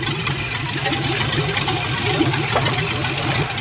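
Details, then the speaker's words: LS-swapped Fox-body Mustang (5.3, turbo build) on first starts: idles very low and lumpy with an uneven, choppy beat; incorrect fuelling, thought to be caused by the Fox-body MAP sensor being fitted instead of the correct one. "go ahead and crank her on up the idling super low and a back Supply either not enough fuel or way too much air but"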